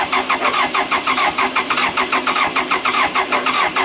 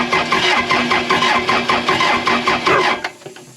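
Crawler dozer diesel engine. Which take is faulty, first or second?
second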